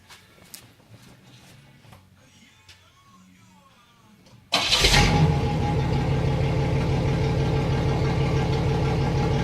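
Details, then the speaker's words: 1985 Chevrolet Celebrity 2.8 V6 with gutted catalytic converter, after replacing a blown muffler: engine cranks, catches and settles into a smooth, quiet idle; exhaust sealed and normal. "very very quiet it's like it's supposed to be from factory now this does have a gutted cat so it isn't going to be fully fully quiet"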